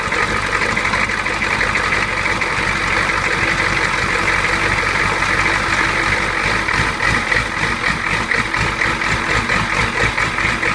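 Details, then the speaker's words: Older Ford 6.9/7.3 diesel, hard start and stalling; after glow plug cycle it cranks long, runs, then turns ragged and stumbles as air in the fuel lines starves it; air entering the system, often showing as a fuel leak. "okay so you see how it starts up purges all the air through the system even stalls it first gives us the long crank and it the power stayed consistent so this is one that has air in the lines"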